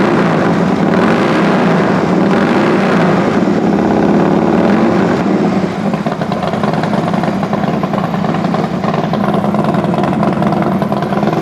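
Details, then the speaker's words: Harley FXD35 V-twin after top-end rebuild with Thunderheader pipe, first startup: slight valve-train noise at the very beginning, quickly gone, then a steady, deep, even idle with no knocking or ticking. "all right well first startup sounds pretty good obviously uh I don't know if you can hear it through my microphone but even with cranking the oil pressure up you do get a little bit of valve train noise right there at the very beginning but that real quickly went away so that's good"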